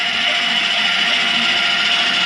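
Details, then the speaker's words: Keystone Lorado 329RE rear electric stabilizing jacks run down on a levelled trailer: even high-pitched electric whir with no catches or surging; one side may run down before the other kicks in. "power for that is right here simply run them down now remember these are stabilizing jacks you've already got a unit level all we want to do is make it stable"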